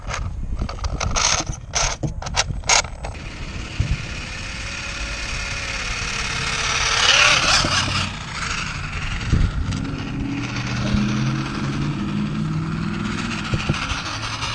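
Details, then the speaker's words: 3D-printed PLA/PETG Porsche 911 RC car, 2838 3600kv brushless motor, 30A ESC, 2S LiPo, 2-speed transmission: harsh ratcheting clatter and gear whine rising with motor speed as the printed differential gears chew up; metal gears ordered. "ably have probably about five more minutes and then the diff's gonna be completely blown so this is the last time this car is going to drive until probably the last time this car is going to drive until i get new gears"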